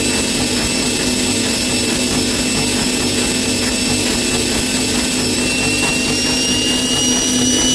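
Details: Bosch Maxx 6 washing machine after motor bearing replacement, drum bearings still good: at full spin a loud roaring rush with a steady high whistle on top; loud drum noise at high speed, which the owner believes means the drum is broken.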